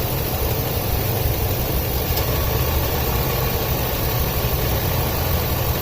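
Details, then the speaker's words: 2004 Ford F-250 5.4L at idle, code P0306 cylinder 6 misfire after customer fitted new plug and coil; uneven lumpy low thump that keeps stumbling; coil suspected too weak to fire the plug. "I'm wondering if this coil ain't strong enough to fire the plug. And it's just backfeeding."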